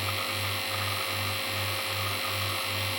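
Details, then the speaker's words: Rebuilt Pfeiffer DUO 2.5 oil-sealed rotary vane vacuum pump on the test bench at 1×10⁻³ mbar after full strip and rebuild: steady low hum with a soft regular pulse, bench buzzing plus oil gurgling; normal running. "there is our Fifer Duo 2.5 oil sealed rotary vein vacuum pump on the test bench at 1 * 10us 3 milar um the noise you can hear is firstly the bench buzzing but also just the"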